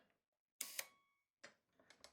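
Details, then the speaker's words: Repaired 1960s Canon Demi S half-frame 35mm camera, leaf shutter at 1/8th: two crisp clicks about a fifth of a second apart, open then close, clean and even. Normal slow shutter operation after repair. "And again, obviously once you get slower than a 30th, you can really start to hear the difference."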